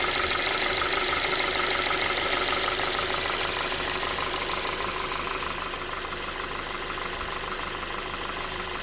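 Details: Ford 2.5 engine at steady idle with a regular light tapping about three per second over it; an internal engine knock of unknown cause.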